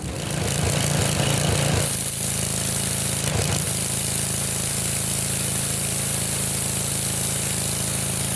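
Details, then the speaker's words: Revived Sears Craftsman pressure washer, 6.5 hp Briggs OHV single-cylinder, 2500 psi 2.7 gpm, pressure cranked up: steady beat under loud spray hiss, carrying pump load without bogging; pressure rises and is felt in the wand, less powerful than another machine. "but for a test it worked good the pressure went up which means that you could see it too I could feel it in the wand so this is working"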